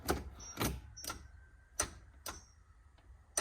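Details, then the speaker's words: Land Rover Defender at the key turn: sharp, unevenly spaced relay clicks, about six in four seconds, with no cranking; the owner suspects the starter motor has failed again, and it was tested and replaced. "can hear the starter relay but nothing I've had this issue before the starter meter"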